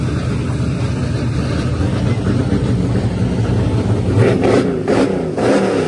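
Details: Silver Z06 with boosted LS engine: once it shifts into high gear, the loud engine holds one flat RPM instead of climbing, as boost safeties in the tune cut power up top; the tune is to be revised and the safeties removed.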